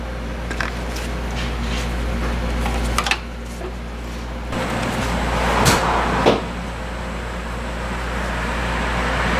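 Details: 2002 Ford Ranger 4.0L V6 after alternator replacement: low, steady idle hum under nearby clatter, no whine or squeal, charging at 14 volts; normal idle.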